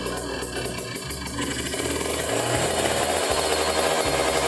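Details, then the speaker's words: Kawasaki Ninja 150 RR two-stroke with racing exhaust, after cleaning a dirty carburettor nozzle that caused stuttering: crisp buzz rising smoothly from 1000 rpm idle to 5000 rpm, clean pickup with no stumble or popping. "Harusnya sih mulus banget ditarik tuh Nah enak ya"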